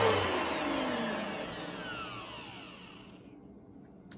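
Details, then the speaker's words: New Bissell PowerForce Helix 3313 vacuum motor: a high whir, described as a higher tone but lower pitch than the older 2191, spinning down smoothly with no rattle, scrape or grind; motor sounds healthy. "so anyways this is what the motor sounds like on the new Bissell Power Force Helix 3313"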